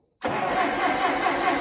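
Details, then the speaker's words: Allis Chalmers D17 tractor, first start, choked with the throttle all the way back: it catches at once and settles into a slow, soft, slightly hunting idle. Idle too low, needing a little throttle. "Almost sounds like I need a little bit of throttle to that, just to be honest."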